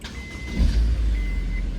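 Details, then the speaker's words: Honda S2000 cold start: quick crank catches promptly and settles into a smooth even idle, no starter drag; normal cold start. "Really sweet. No starter drag."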